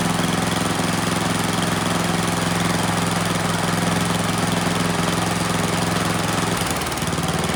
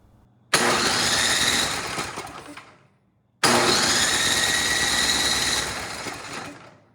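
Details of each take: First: Troy-Bilt Storm 10030 snowblower, Tecumseh HMSK105 engine, long neglected outdoors, after starting fluid: small single-cylinder engine runs on its own with a steady, even drone, choke off and throttled up, no misses or knocks; normal running. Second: Troy-Bilt Storm 10030 snowblower with Tecumseh HMSK105 engine, long outdoors, reported no spark and carburetor issues; 120 V electric start with choke on: two fast, even two-second cranking runs, engine spins freely but never fires; cause unconfirmed.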